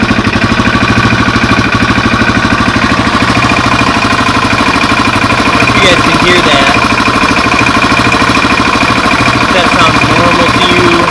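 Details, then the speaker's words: Single-cylinder project motorcycle (replacement part off an '88) running after coil confirmed working: uneven thumping idle with a clattery top end; owner suspects it might be burning a little oil and is unsure whether it sounds normal. "Our coil works. Might be burning a little oil."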